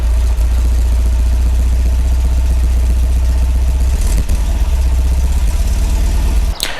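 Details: MGB after repair of a broken, unfused fuel pump wire off the ignition switch that caused a no-start: deep, steady engine drone with an even beat, no misses or knocks; starts and runs smoothly, healthy.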